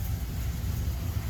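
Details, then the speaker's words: 2000 Dodge Ram Van 3500, 5.9 L Magnum V8, automatic, about 138,000 miles, check engine light on: deep uneven lumpy rumble at very low idle, engine loping and shaking as if ready to stall; rough low idle, cause undiagnosed. "You can see the shake in that boozer. The engine, everything's just shaking because it's so low idle. It's running, but it doesn't want to."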